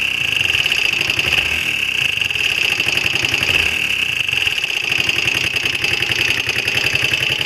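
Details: Honda XL125R single-cylinder idle: fast even mechanical chatter with a strong high ring on top; abnormal engine noise, cause suspected, not confirmed.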